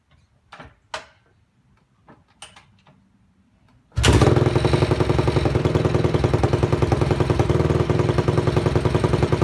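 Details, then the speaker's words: Honda CRF250 dirt bike, idle set low after reassembly: steady idle with a light, even tick about three per second; the tick is the chain resting on the rear axle, not an engine problem. "that kind of like ticking noise is not the bow there's no problems it's because the chain is sitting on the rear axle"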